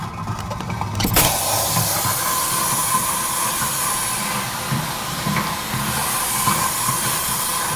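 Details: DIY automatic shot sand blaster built from a dustbin in a bench-top blaster, run 30 seconds to polish nuts: after a sharp start, a loud, steady hiss of blasting air holds over a faint low rumble; normal running with air blast.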